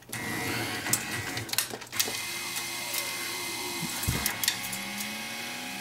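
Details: Betson claw machine after limit/home switch repairs: short motor whirs rise and fall in pitch as the trolley travels and stops cleanly, with light clicks; normal gantry motor movement.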